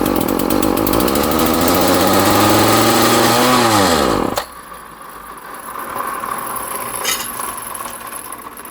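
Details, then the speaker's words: Homelite string trimmer, choked at start: engine screams up and revs out of control, hunts briefly, then drops off and dies within seconds; surging then stalling, owner suspects a vacuum leak at stripped holes at the back. "so yeah as you can hear it starts to rev a little bit out of control and then it dies and I have a feeling that's because it it kind of has a little bit of a vacuum leak back here"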